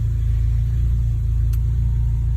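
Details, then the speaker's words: Honda B18 race engine in a DC2, fully warm at operating temperature, idling with a low, even burble and steady beat, no misses, knocks or hunting; ticks over cleanly after a throttle body replacement, no smoke or leaks: normal warm idle. "So it's up to operating temperature. DC2s always seem to sit there. And it's ticking over nicely, which I've never had before because my other throttle body wasn't very good."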